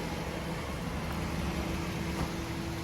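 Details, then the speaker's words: Car after tappet and sound work, started and idling at night: even, steady idle with a smooth low drone, no ticking or knocking; engine sounds healthy, like new. "ये देखि start खड़ी है अभी गाड़ी माशाल्लाह बिल्कुल zero metre की तरह यह गाड़ी हो गई"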